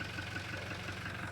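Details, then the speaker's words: Toyota Fortuner diesel that wouldn't start, running after high pressure pump replacement and bleeding fuel to the injectors with injector fittings tightened: steady, even idle with low smooth rumble, no misses or knocks; normal idle. "Pagkatapos ayan umandar na. So okay na. Umandar na yung engine"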